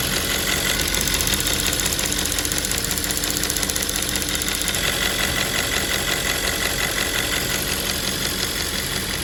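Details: 2010 Audi S5 4.2 V8 petrol idles smoothly with a steady, even hum and no obvious ticking; the repair being shown is replacing a faulty fuel purge valve that causes ticking.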